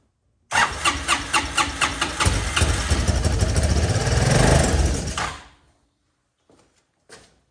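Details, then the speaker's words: Honda Helix scooter, nonrunning auction buy: fires on starting fluid, runs rough and rising about five seconds, then dies; fuel delivery problem, owner suspects the fuel pump as fuel dumped from the fuel line. "All right, so it fired off with starting fluid, which is good. So it's a fueling issue."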